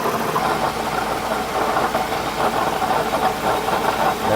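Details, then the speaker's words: 2008 Toyota Highlander at idle: steady metallic rattle from the belt tensioner pulley above, located by stethoscope on the pulley; tensioner pulley to be replaced. "I got a nasty noise rattling noise coming from my 2008 Toyota Highlander"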